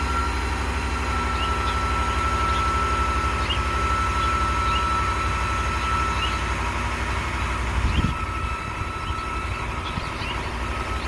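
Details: 2019 Ram 1500 cold start: thin, steady high squeal over the idle for several seconds before fading; new alternator, battery and battery sensor didn't help, and replacing the idler pulley and tensioner together stopped it.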